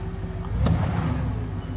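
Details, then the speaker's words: 2500 Silverado 8.1L Vortec V8 with Allison transmission after coil, spark plug and wire replacement, lugging at low speed while towing a boat; deep steady rumble with no hesitation or missing cylinder, good engine response, misfire under load repaired. "okay no hesitation i don't feel any missing or losing any cylinder come back again stopping to make it difficult good response good engine response"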